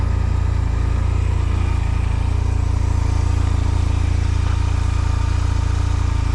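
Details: 2005 Honda Silver Wing scooter just started for first time after sitting mossy, oil and coolant checked: steady low throb firing evenly at relaxed idle, no knocks or rattles; normal idle.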